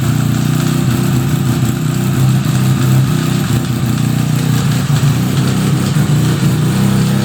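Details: 1975 Suzuki RE5 rotary motorcycle after full restoration, idling: low droning hum with a rough, uneven rattle underneath from the transmission; inside of gearbox yet to be inspected, cause unknown.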